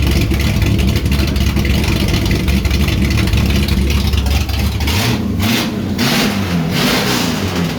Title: 67 Charger 1st fire up after rebuild.